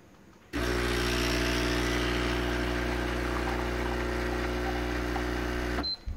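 An even, buzzing pump hum that starts cleanly, holds steady for five seconds and stops; the espresso pump is running normally.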